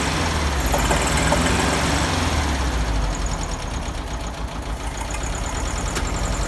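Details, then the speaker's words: 1971 VW Beetle air-cooled flat-four just fired up on a newly cleaned reproduction Kafer 34 PICT-3 carburetor with heavier spring, still partly choked. Loping, uneven idle at about three and a half beats per second; rough idle, carburetor needs adjusting. "well definitely gonna have to adjust the carburetor it does work I think I like the heavier spring on there"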